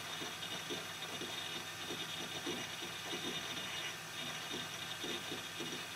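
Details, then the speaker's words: Quiet budget PC with sponge-lined case and low-RPM fans, during Windows startup: soft hiss with quick irregular chattering clicks from the hard drive doing heavy read/write; normal operation. "so so yeah as you can hear the most noisy guys the hdd this window is starting it's using a lot of read and write cycles"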